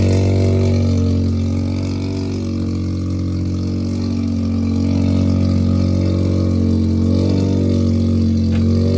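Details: Mazda rotary project car with Sniper fuel-injected carburetor, phone placed nearby at start: low even hum with fast steady beat rising and falling gently with revs; normal running.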